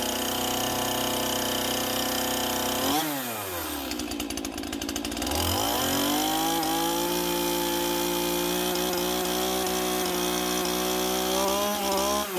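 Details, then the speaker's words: Stihl MS181C two-stroke chainsaw running after a carburetor rebuild with a cheap kit on its aftermarket carb (before repair it ran rough, low on power, then wouldn't start). Drops from high buzz to steady idle, then picks up cleanly to an even high pitch; running normally. "that's her one stall ms1 181c chainsaw up and running again with a little carb rebuild kit nice sweet simple repair"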